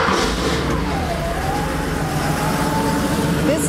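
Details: Porsche 3.2 Carrera project car, engine bay work done: engine started to check it before refitting the elbow, runs steady and even with a smooth exhaust note, no misfire stumble or ticking; healthy normal running.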